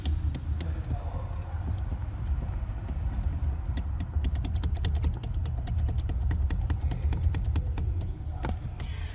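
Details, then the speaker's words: 2021 Toyota Hilux, 88,720 km, idling while the steering column is rocked by hand, phone placed under the column. Sharp, uneven clicks and clunks about four per second. Worn steering column play; the brake pedal also has play. "ó Este é o barulho que Vocês ouviram no vídeo certo ó dirigindo eu vi também folga no pedal do do do freio aqui"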